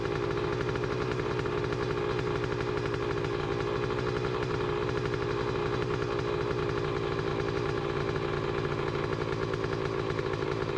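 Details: 2007 Honda CR125R on its first start after the build; it started on one kick. A crisp, even two-stroke crackle holds a steady idle with no knocking and no audible needle bearing noise, so it sounds healthy.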